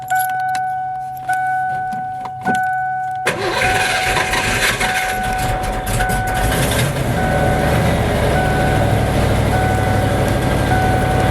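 Chimes, then the engine cranks, catches and runs with an uneven, labouring note; fuel starvation from low pump pressure.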